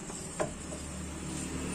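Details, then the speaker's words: Honda Vario Techno front wheel after fix, wheel spun by hand: faint hum and one light tick, no rubbing or scraping; the scraping noise from the front wheel is gone after a repair using an old sandal. "ada yang bunyi lagi ataupun yang berbunyi seperti struktur itu sudah hilang Oke jadi hanya menggunakan sandal bekas itu dapat mengatasi bunyi stroke pada bagian roda depan"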